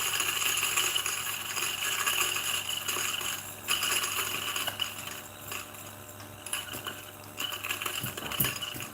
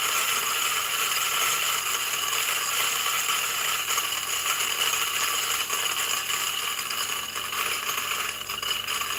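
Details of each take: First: New DF64 flat-burr single-dose grinder grinding a 10.1 g dose for a retention test: steady motor whir with gritty crunch of beans feeding evenly through the burrs; normal grinding. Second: New DF64 flat-burr single-dose grinder with first beans: quiet motor hum under light, uneven ticking as beans bounce in the throat (popcorning) instead of feeding; fix is fitting the cover on top.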